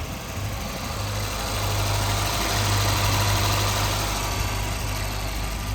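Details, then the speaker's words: 1984 Volvo 242, B23 LH2.1 engine, automatic, with last year's fuel in the tank: a low, lumpy idle that surges and stumbles unevenly; it is running rough and a vacuum problem is suspected, not confirmed. "perfect still stumbling a little bit but of course when's the last time you put a fresh tank of fuel in it kind to remember last year yeah yeah so uh definitely doing some weed weird idle stuff maybe a vacuum"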